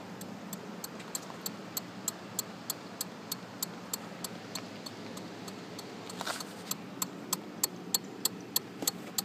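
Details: Kawasaki Z750S no-start: sharp even click about three times a second, engine never turns over; fuses checked, battery terminals tight, bike runs when jump-started from a car.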